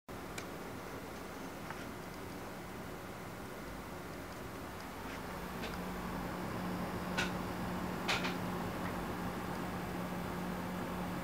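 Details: Asus DirectCU II HD7950 graphics card under gaming load (Guild Wars 2) making a weird noise: fan whir swells into a steady low drone with a few faint ticks.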